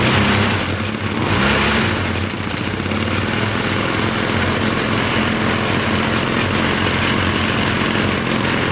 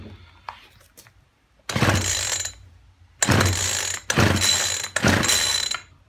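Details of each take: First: Poulan Featherlite two-stroke string trimmer after fuel line replacement, choke full, old plug with weak spark: steady high buzz revs up and holds evenly for ten seconds, then cuts off; runs clean with no smoke. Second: Poulan Weedeater Featherlite two-stroke strimmer after fuel line replacement with the primer bubble full and fuel returning: four rattling, ratcheting pull-cord bursts with no firing or catch. It cranks but won't start; the spark plug is checked next.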